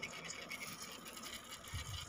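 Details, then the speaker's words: Sony Xperia XZ2 (Docomo): faint raspy uneven crackle from the top speaker/buzzer, damaged and to be replaced. "Untuk suaranya itu di atas ya, yang keresek-resek."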